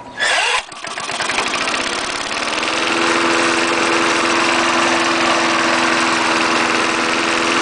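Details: 1974 Snapper lawnmower with 3.5 hp Briggs engine, started a little cold after adding new gas to a dry tank, air cleaner off: fires up quickly, steady even run while throttle is varied, no misses or stalling.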